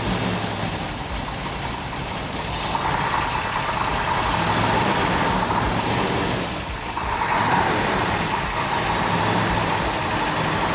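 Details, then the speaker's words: 'Cuda 440 six-barrel V8 with a Comp Cams Mutha Thumper cam, new engine at initial startup: a deep, loping, steady idle. A little valvetrain noise is normal on a new engine; rpm is held up for roughly 10 minutes of cam break-in. "wow that started right up nice so what we're doing is going to let that run for probably 10 minutes"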